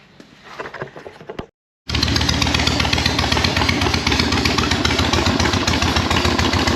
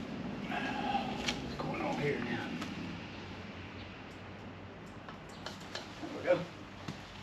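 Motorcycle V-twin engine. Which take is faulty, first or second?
second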